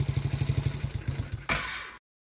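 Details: About 49 cc kids' Chinese ATV, single-cylinder, after new starter solenoid fitted for a click-no-start fault; quick, even putter, then a brief rev and shut off; normal idle.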